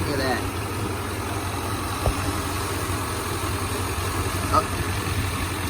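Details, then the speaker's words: 1995 Chevy K1500 Silverado with newly installed 355 TBI V8, no cam, only three miles on it, hood open: steady, even low rumble with no knocks, misses or surging, no leaks, running smooth; normal idle. "it ain't cam like i said but it's running quite good i love it nothing leaks it's all running good smooth"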